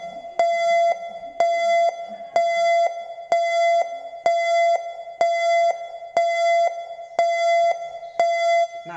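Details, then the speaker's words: Mitsubishi Grand jimli/emsal car being driven with a door open: a clear chime ringing about once a second in an even repeating pattern, the same chime as key-in with door open and engine off; the door-open warning. "sekarang kata bunyi pintu terbuka pada saat mobil berjalan atau transmissibility tipe-tipe gitu"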